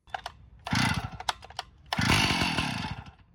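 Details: Stihl 056 AV Super chainsaw revved in two bursts: harsh buzzy rattle on the exhaust note; strange noise, owner suspects an internal engine cause.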